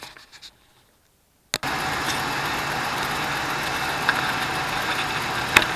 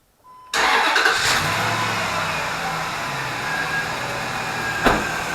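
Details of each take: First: 2004 Dodge Dakota 4.7L at cold start idle, before engine flush: light quick ticking about three or four a second on the driver's side, fading after a couple of minutes running; began when worked hard uphill in summer heat. Hydraulic lifter tick. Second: 2004 Dodge Dakota 4.7L, started after an engine flush: cranks, catches quickly and settles into a smooth, even idle with no top-end ticking; earlier lifter tick gone after the fix.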